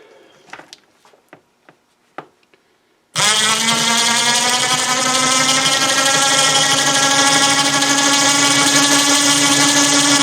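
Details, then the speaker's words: Snow blower chute winch motor, after greasing the gear train: steady even motor whine for about seven seconds with no grinding or knocking; much quieter than the terrible noise it made before service. "a lot quieter but it looks like it looks like it was having a bowel movement"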